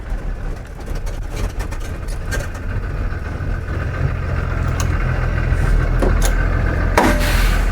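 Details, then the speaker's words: Blue Bird school bus with Allison transmission after TCM replacement and test drive: steady low diesel idle with an even beat; check transmission light stays off and no warning buzzer. Normal idle. "this is fixed so as you can see the bus is running we just drove the bus the check transmission light did not come back on no buzzer on while the engine is running so we're good to go"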